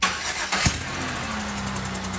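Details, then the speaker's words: 2007 Buick Rendezvous GM 3.5 engine cranks, catches and idles with a steady hiss puffing in time with firing, compression escaping through a blown head gasket that caused no typical symptoms; heard before a block test. "but you hear the hissing it's more of like a compression seeping out or a blown out spark plug"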